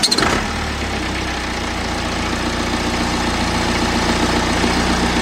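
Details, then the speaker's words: BMW N47 diesel at idle, engine louder than expected and vibrating a lot: noticeably loud with a buzzy rattle on the steady clatter; engine cover rattle. "okay then so as you can see the engine appears to be vibrating quite a lot and there is kind of like a rattle sound"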